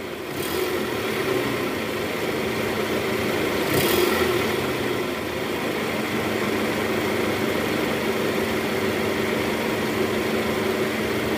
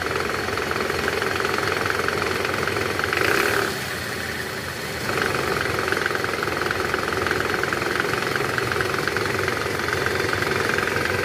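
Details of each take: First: 2010 Toyota Camry, 2AZ engine, after worn balancer shaft replacement, idling in R with AC on. Smooth, even hum with no click or rattle; previously rough on start and clicked when shifted to R/D. Normal idle in gear. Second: 2010 Toyota Camry, 2AZ engine, 126,000 km, in reverse, heard from the side: loose, uneven rattle over idle from the oil sump area, gone in neutral; balancer shaft gear rattle.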